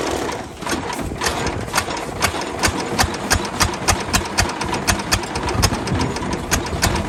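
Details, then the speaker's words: 1929 Ford Model A four-cylinder, abandoned 75+ years: slow, lumpy idle of sharp, uneven pulses about four or five a second with gaps; the only firing cylinder drops out, a misfire. "oh our one cylinder that's firing fell off that happens our one cylinder that firing fell off again it's got to quit doing that"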